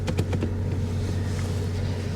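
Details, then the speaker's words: Salvage auction car, ABS and check engine lights on at start, shifter tampered with: low idle rumble with uneven stumbles and skipped beats, heavy misfire at idle. "She doesn't run so good, guys. I'm going to turn this off, or turn it down at least. She's misfiring pretty heavily."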